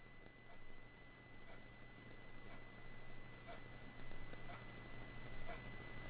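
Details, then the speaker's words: Rode VideoMic GO recording: steady low hum with thin high whistles and soft chirping pulses about once a second; buzzing judged by the maker as RF interference, possibly from a nearby router; mic replacement offered. "they told me that unfortunately that does sound like RF interference we're happy to swap out the mic for you"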